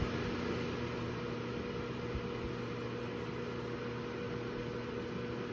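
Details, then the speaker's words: KitchenAid KMHC319LSS00 microwave hood vent fan (Sept 2023, uninstalled), six-speed fan motor at speeds 5, 4 and 3: steady low electrical hum with a thin tone over the airflow, from the fan motor at the back; cause unclear. "listen to the extra hum that kicks in when I go to speed five you hear that I hope it comes through that extra hum is still maintained pretty prominently at speed 4 and speed [Music] three"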